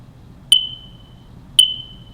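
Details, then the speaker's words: Smoke alarm low-battery signal: a single short, high chirp repeating every 30 or 60 seconds with silence between chirps means the battery needs changing; normal low battery chirp. "a single chirp every 30 or 60 seconds means that the battery needs to be changed"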